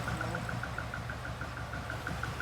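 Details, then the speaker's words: Barn-find Lotus twin cam, off the road since the early 1990s, just restarted: even, steady idle with light regular background ticking, no misfires; running beautifully. Normal idle. "That's running beautifully. That is running so so well. Surprised."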